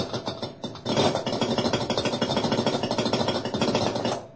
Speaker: if the refrigerator is moved while the compressor is operating you may hear a rattling or knocking sound for several seconds resulting from the internal components operating out of their normal position